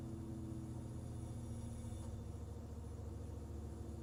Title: Rough idle on BMW e46 ZHP